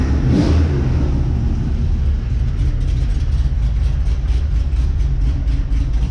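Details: 2006 Cadillac CTS-V with an aftermarket twin-disc clutch that won't disengage: a deep, strong V8 rumble revving and settling smoothly, no ticks or knocks. Normal engine running before the transmission is pulled to shim the slave cylinder.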